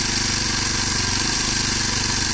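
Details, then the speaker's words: Kawasaki KLX 230 idling. A fast, even single-cylinder beat with a noisy, rattly top end. Idle is high, estimated 1800 to over 2000 rpm, and the engine is described as running very hot. High idle speed. "Suara mesinnya berisik banget ya. Dan idle-nya atau langsamnya ini tinggi banget RPM-nya. Teman saya bilang sih 1800, tapi saya nggak yakin, ini sekitar 2000 RPM lebih mungkin"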